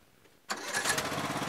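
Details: Yard Machines MTD lawn tractor, 20hp Briggs single-cylinder OHV, restart test after rewired magneto bypass for no-spark no-start; after a brief quiet spell it catches at once and settles into a steady, even run: normal engine start.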